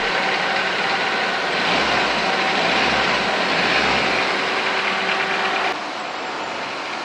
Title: 🎯Car Idle Problem FIXED! 🔧 Clean IACV/Idle Valve Sensor for Smooth Engine Idle | Step by Step Guide.